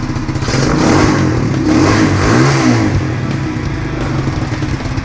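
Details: XR140 pit bike with a replacement 125cc manual-clutch 4-speed engine fitted after the 140cc Piranha engine failed, warming up; deep single-cylinder thump revving cleanly to a steady beat, no knocks, muffler rather quiet.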